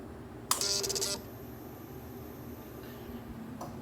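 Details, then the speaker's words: 2008/2009 Suzuki M90 VZ1500 no-start after running that morning: a half-second harsh electrical buzz at key-on, then near silence, with no fire when starting; possibly a relay or solenoid, cause not yet found. "it's like a buzz buzz buzz buzz and then when I go to give it power you know start it up no fire"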